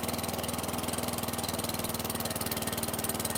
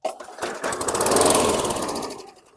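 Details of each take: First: 2008 WeedEater 22-inch mower, Briggs & Stratton 500 series 158cc (model 10T50), flooded under six feet of hurricane water, now runs with an even, steady beat of about four per second and no stumbling; still smoking from oil that poured from the muffler. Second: 2008 WeedEater 22" mower, 158cc 500-series engine, flooded in a hurricane, oil had poured from muffler: pull-start catches, rattles up about two seconds with uneven firing, blows lots of smoke, then stalls.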